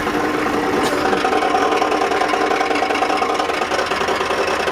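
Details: 1987 Ford F250 7.3 diesel at idle: steady gritty grinding rasp, worst at idle and gone around 1500 rpm; began suddenly on the road, occasional clunk when cranking. Flexplate and torque converter bolts tight, starter not hanging up, no metal shavings; cause undetermined.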